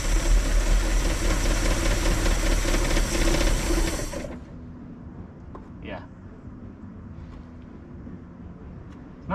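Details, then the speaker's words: 1968 Dodge Charger with a clapped-out 318 and two-barrel carb, previously locked up and sitting in a field since 1984, runs rough for seconds then dies. Suspected carburetor not delivering fuel. "but it ran and it idled for a minute well maybe like 20 seconds but it ran ah it just won't run very [Music] long it must just be that carburetor must be junk and it's just not getting any fuel going"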